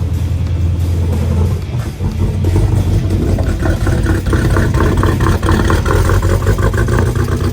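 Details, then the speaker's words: Dodge Hellcat with rough idle and no codes, jump-started: loud uneven popping and stumbling with ragged revs, a misfiring cylinder later traced to a closed spark plug gap. "give it a start about to wake up the neighborhood cuz this thing uh pops now that it's misfiring so sounds"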